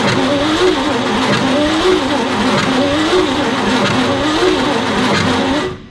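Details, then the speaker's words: 1955 Chevrolet Bel Air engine, first run after 30+ years stored: loud running with repeating chirp about twice a second; old generator belt suspected, to be cut off. Rhythmic chirping noise. "I still hear the rick, rick, rick. We're gonna cut the alternator belt, generator belt."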